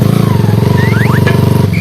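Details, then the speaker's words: Honda Sonic motorcycle engine being revved before repair: thumping single-cylinder beat with a thin whine, likened to a whale, rising and falling with engine speed; gear whine from the primary drive gear. "โอ้ยโอ้ยโอ้โหเอ๊ยนี่นะครับเสียงหอนนะนี่นี่มีเสียงหอนเป็นปลาวาฬเลยนะครับ"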